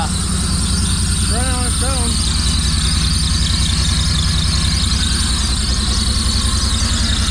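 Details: 1985 Pontiac Fiero first start in 19 years after a fuel tank cleaning and fuel pump replacement: a steady high whistle rides over the rough-running engine, a small vacuum leak with some belching.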